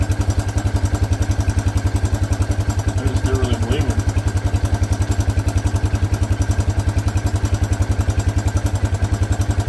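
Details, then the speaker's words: 1984 Honda Big Red four-wheeler, single-cylinder, idling after fuel line fitted: steady even thump about 214 beats a minute, no misses or knocks; purrs like a kitten, owner says it always ran well. "All right, let's give her a shot. She purrs like a kitten. I mean, he told me this thing has always ran really good."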